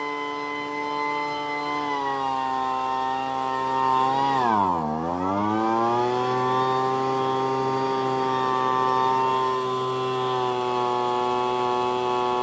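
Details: Poulan Pro blower, bought used with a PP3516AVX chainsaw, started on full choke after priming; the starter pulls very easily. Buzzy two-stroke drone holds steady, dips sharply in pitch briefly, then climbs back and runs on cleanly. Running normally.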